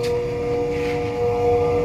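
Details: LG automatic washing machine that would not drain or spin, after its drain motor part was replaced: an even motor hum with a steady tone and no grinding or knocking; the drum now spins normally.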